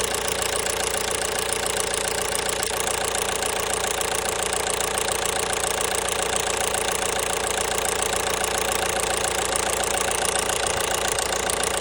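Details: 1.5 BlueHDi (DV5RC) diesel at steady idle with a regular tap about three or four times a second over the rattle; engine knock, source unknown.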